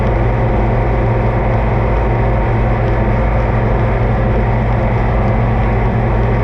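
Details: Oliver 2255 front-wheel-assist tractor on a test run after an oil service of engine, transfer case, front axle, rear end and hydraulics: a steady, even diesel chug with a deep, solid hum and no knocks or misses. Normal running; owner says everything done is fine.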